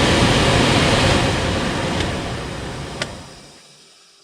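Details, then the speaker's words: 2005 Skoda Fabia heater blower, after being removed and cleared of debris (a peanut was found inside), gives a steady, even rush of air on the higher settings with no rattle or scraping, then winds down; speed 1 doesn't work. "oh that ain't bad obviously number one's not working"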